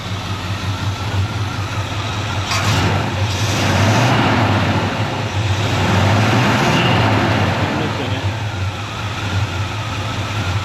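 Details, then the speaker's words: 1974 Chevrolet C20 small-block V8, revived after sitting about three years, through Flowmaster dual exhaust: deep, even rumble with steady low beat swelling briefly mid-clip; runs smoothly and healthy. "it clean up though sounds great that's awesome that sounds great is it dels twice pipes man oh it's twice pipes"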